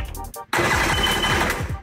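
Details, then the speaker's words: Rebuilt 800 power-valve two-stroke engine just installed in a 2001 Yamaha GP800R WaveRunner, first crank with no water or fuel, cylinders lubed: starter spins it evenly at about five compression pulses a second, no firing; healthy dry crank. "The next step here is to just try and crank it over. There's no water in it, there's no fuel in it."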